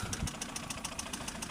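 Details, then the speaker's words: Toyota 7A-FE with a cylinder-head knock, warm after the spark plug well seals were resealed, hot oil added and clean plugs fitted. A sharp, even knock of about seven a second at idle, quieter as revs dropped. A dropped valve from oil starvation is suspected. "и вроде даже тише стучать стало, но всё равно это не норма. Так быть не должно."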